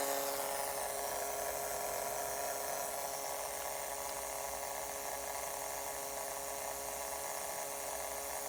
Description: After 9-12 month of use, this model starts producing weird buzz sound in some circumstances. When the system heats up, components on the motherboard start making some kind of electronic interference that affects speakers, so they start making this buzzing noise.